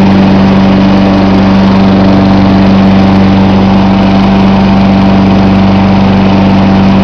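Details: John Deere 14SE mower, Kawasaki FC150V engine, cold start with choke, camcorder set on top of mower: loud, even putter with steady hum, no misses or surges; idling smoothly and healthy.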